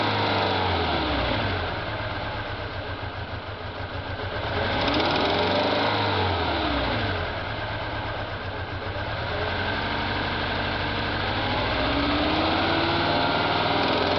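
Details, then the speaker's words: Toyota Hilux/Tacoma 2.7L 2TR-FE petrol engine after a head gasket change, revving: a light, rapid ticking quickens with rpm and the engine shakes. The owner suspects a misfire or wrong cam timing. Cause unconfirmed. "just did a head gasket wondering if the timing's off or why it's moving something's missing and then there's this sound when you rev it"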